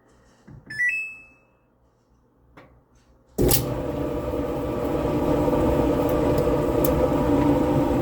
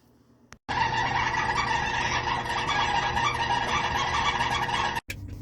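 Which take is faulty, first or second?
second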